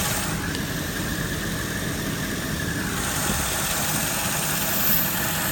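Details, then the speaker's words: Mercedes W163 ML500 with lean codes on banks 1 and 2: steady idle under a loud constant hiss from a large vacuum leak at the rear of the engine, traced with a listening hose. "It looks like it's hitting the intake manifold, but you can hear this thing hissing. Here's the hose. I can hear the leak to the hose really loud."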